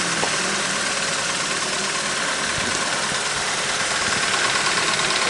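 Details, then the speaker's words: Opel C20NE inline-four petrol engine, 429,211 km, completely cold start, bonnet open: fast light ticking from the top of the engine over a hissy idle as the hydraulic lifters clatter, before a Wynn's lifter additive is tried. "сейчас открою капут за еду двигатель чтобы послушать можно было как тарабанят гидрокомпенсаторы при запуске на холодную мотор абсолютно холодный не заводился"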